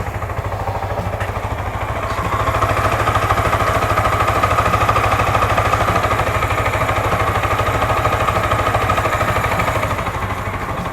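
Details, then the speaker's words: Motorcycle after service, smooth even idle with no tapping; earlier rocker/tappet cover noise now fixed. "आप देख सकते हो आवाज बिल्कुल स्मूथ आ रही है कोई भी प्रॉब्लम नहीं है आवाज की अब"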